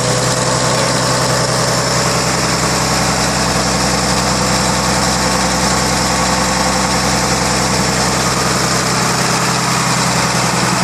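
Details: Late grandfather's 1933 Chev, first start in over 50 years on a freshly rebuilt engine (5.6:1 compression, 74 HP @ 3200 rpm): even, steady idle with soft uniform beat, no knocks or misses; smooth and healthy.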